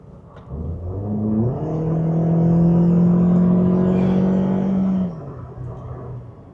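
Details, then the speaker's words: 2016 Toyota Corolla, 1.8 L 2ZR-FE with U341E 4-speed automatic: engine drone climbs and turns loud and boomy as throttle opens, then drops off; worn engine mounts suspected but unconfirmed. "Oh, this engine is loud when you start to put your foot into it. The engine mounts are a common problem with these cars. And so it's possible that could be the situation here. But oh, it's loud."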